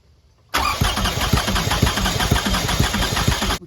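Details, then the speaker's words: 2006 Toyota Highlander 3.3L, coolant leak, shop claimed head gasket: steady even cranking during compression test, about two beats a second, no firing, matched strokes; readings about 200, healthy compression, head gasket doubted, water pump suspected. "now 200 so look these compression checks are impressive so anyway you want to slice it up that's good compression"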